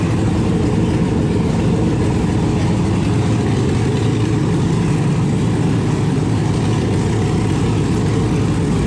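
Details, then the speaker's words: 1971 Impala donk with LS swap, first running after hours of wiring and low cranking-voltage troubles; deep, even V8 rumble holding steady with oil pressure, no misses, knocks or stumbles, clean idle. "so finally it runs it's got oil pressure"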